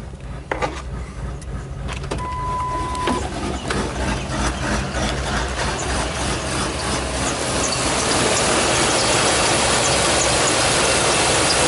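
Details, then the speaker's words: 1999 Ford F250 Super Duty 5.4L Triton V8 farm truck at idle: rough, surging idle with an uneven chugging pulse about three times a second, partly buried by rushing noise; no check engine light or stored codes; also hard starting in cool damp weather. "okay it's shaking kind of a rough idle see if we can check engine light is not on surprisingly but it is a Ford"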